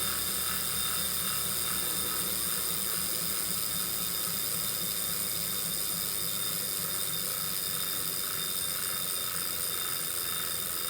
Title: Kickr Core clicking sound